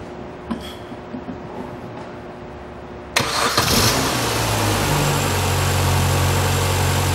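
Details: 2006 Mini Cooper, 1.6 L engine, about 55,000 miles, five-speed manual, front-end damage, being parted out: cranks briefly, catches cleanly and settles into a smooth, even run with no knocks. The engine runs excellently.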